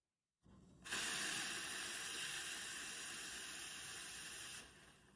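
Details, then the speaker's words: Espresso machine steam wand purge, wrapped in a cloth with lever pulled down before steaming milk; steady loud even hiss of dry steam for about four seconds then cut off, clearing milk residue from the nozzle, normal. "All right. Now, all the residue and milk remnants inside the nozzle have been removed."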